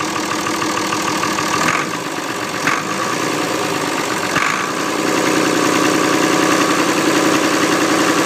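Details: Ford 2708E diesel engine running at idle: even, settled clatter, roughly three to four beats a second, no knocks or misses; healthy, lovely-sounding normal idle.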